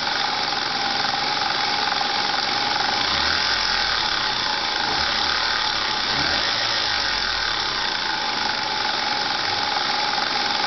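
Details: Lexus IS300 at idle, engine bay; even idle hum topped by a steady high whir and hiss; abnormal engine bay noise, cause unknown.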